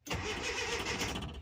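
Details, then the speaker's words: 1981 Datsun 720 after a new starter, positive battery cable and both coils were fitted: strong, even cranking whir that catches quickly, running a touch lopey; normal cranking. "Well, look at there, people. She cranks. She cranks nice. It sounds pretty good."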